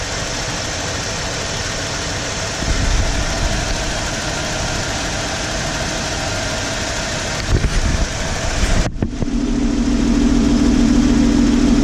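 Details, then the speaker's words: 1995 Ford F150 4x4 after a torque converter replacement for a suspected shudder: the engine still bounces at idle with a low, uneven, lumpy pulse and a slight shake; problem not fixed, cause unknown. "Even at idle, if I start it up, even at idle, the engine, it just kind of bounces."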